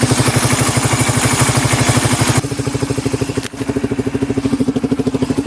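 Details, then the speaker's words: Engine idling from a cold start after a tensioner reset/adjustment: even, steady idle beat about three pulses a second. The earlier tick-tick sound is gone and it is very quiet. "Sa narinig ko ngayon, wala na. Sobrang tahimik na, wala na yung tick-tick sounds."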